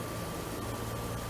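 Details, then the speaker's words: 1997 Oldsmobile Aurora Northstar V8, high mileage, rusty New England car: quiet, perfectly even idle, low steady hum with no misses or ticks; smooth as a 12-cylinder, normal idle. "so smooth both of them i mean north stars i love about them is they run as smooth as a 12 cylinder it's crazy"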